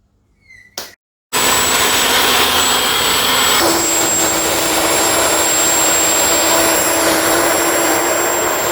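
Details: Home-made 12/118 gas turbine, built over four years: loud, steady rushing roar with a constant high whistle and a tone that shifts once; normal, even running.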